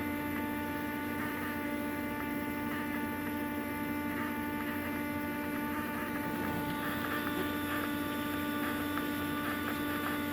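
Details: Cummins-swapped squarebody Chevy diesel truck after installing dual plastic fuel tanks with one filler neck: constant electric lift pump hum with faint light ticking, sounds like it's pulling fuel, priming normally.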